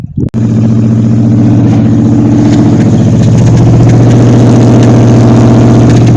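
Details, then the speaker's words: 1953 Ford Customline with a swapped-in 350 Chevy V8, carburetor found bad out of the box: loud, slightly uneven, lumpy idle; runs okay but a little shaky, with some fuel vapor. "Okay, runs, sounds okay. A little shaky, but it was starting to give me a little vapor out of here."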